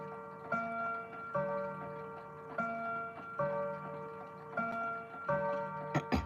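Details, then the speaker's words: Clock striking the hour: clear bell strikes at roughly one-second intervals in a quiet room, counting thirteen; miscounted hour strike, stiff minute arbor loosening slightly. "That's 13. But, then I guess if then I know next hour it's going to actually chime."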